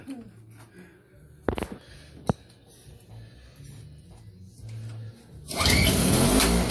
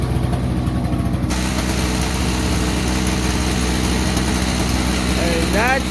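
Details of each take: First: Toro CCR2500 5 hp two-stroke snowblower after carburetor cleaning: a few sharp pull-start tugs, then it catches loud and ragged; runs rough because the muffler is full of oil. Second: Toro CCR2500 5 hp two-stroke after carburetor cleaning, muffler full of oil: steady buzz at fast idle, firing evenly and holding speed without dying; engine now runs properly.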